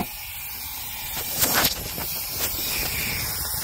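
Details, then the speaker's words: GM 4th-gen L83 (2017 Yukon) after DOD delete and cam swap, shop air fed into cylinder 8: steady airy hiss with louder puffs escaping the exhaust; cylinder 8 exhaust valve not seating, owner suspects broken valve spring. "I'm going to hook up shop air and shoot it into cylinder 8 and I can hear it sure you guys can hear it and I'm going cover up the exhaust for eight that's where it's coming out at which means the valve in there"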